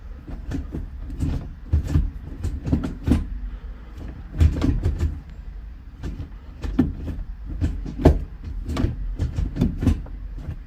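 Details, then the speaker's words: Skoda Fabia vRS Mk1 1.8T project, gear linkage adjusted: irregular dull clunks and clicks from the gearbox as the lever moves through first to fifth and reverse; gears engage cleanly. "now I can hear the click and the clunks from the gear box indicate to me that's in"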